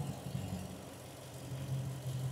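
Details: 2002 Toyota Tundra 4.7L V8 with flashing check-engine light: lumpy, uneven idle with a dead miss on one cylinder; coil swap ruled out coil and control, traced to a faulty spark plug.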